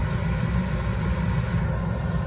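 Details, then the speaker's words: Carrier gas package unit serving a dining room where smoke was reported from the ducts: heat call (24 V at W1, no G call), burners firing with a steady deep roar, blower not yet on; tech suspects a warm-up delay sensor. "The fan's not on, but it's not calling. My initial gut is like, wait a minute, that fan motor has to run or this is gonna get way too hot and we're gonna trip out."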